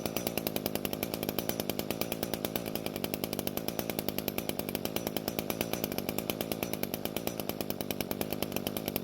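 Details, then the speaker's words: Curb-found Echo string trimmer two-stroke after carb needle adjustment: fast, even idle holding steady without dying, slightly burbly and soft; adjustment worked but low-speed mixture a little too rich, so the H screw has no effect. "so the engine is now idling and not dying and that means the adjustment worked however there's just a little too much fuel at low speeds"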